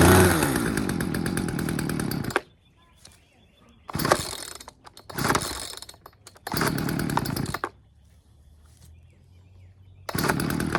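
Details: Poulan 2150LX two-stroke chainsaw that would not start, after carburetor low- and high-speed screws were set to 2 turns: crisp buzz revs in short bursts and drops back, now firing and running normally; throttle slightly sticking from a fuel line against the linkage.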